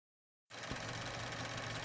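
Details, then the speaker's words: Chevy Cruze/Sonic 1.4 turbo, warm idle: the old evap purge solenoid clicks rapidly over the engine hum once coolant temperature passes 176°F, heard close at the solenoid before replacement. Evap purge solenoid clicking. "right here this guy is the evap purge solenoid [Music] making a whole bunch of clicking noise after the uh engine coolant temperature gets above 176 degrees it starts doing that on the old one"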